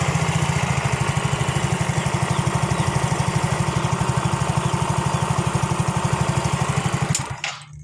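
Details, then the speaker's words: Yamaha Mio J that would not idle, felt weak and flashed ISC leak code 79, after bearing replacement and repair: steady, even low chuffing idle with no knocks or rattles; now normal, code 79 still to clear. "Nah, alhamdulillah udah jadi normal ya. Tinggal kita ngilangin kedipan 79-nya ya."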